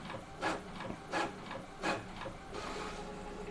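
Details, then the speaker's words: Epson L18050 inkjet printer printing 5 copies with quiet mode on: soft rhythmic carriage swishes about every 0.7 s with slightly louder paper-pickup thump, still within normal; smooth, normal quiet-mode printing. "Lebih halus suaranya. Jadi kalau normalnya seperti ini, kalau untuk proses printing ya, pas narik tuh dia normal juga. Muncul suara yang agak keras tapi masih dalam kategori normal."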